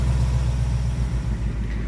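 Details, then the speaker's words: 2019 Ford Mustang GT PP1 V8 at about 5,000 miles, cold start idle: deep, steady, even burble with no ticking; owner earlier heard a tick near driver's side wheel well before first oil change, none now. "to be honest with you though, there's no tick now."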